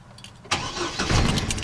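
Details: 2006 Chevy Colorado/GMC Canyon with stuck Passlock, started by leaving the door open, key on for 5 seconds of rapid dings, then slow dings and lights out; a brief crank, then it catches cleanly into an even idle, normal start.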